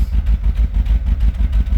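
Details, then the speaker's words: 1982 Pontiac Trans Am with Crossfire Injection and MSD ignition, parked 30 years, at first start: a deep, lumpy V8 idle with an uneven pulsing beat from a bad misfire; plug wires to be rerouted, burnt plug wires on one bank suspected. "Uh here it's got a pretty bad miss. I'm sure you could hear that on camera, but we'll be back once we figure t"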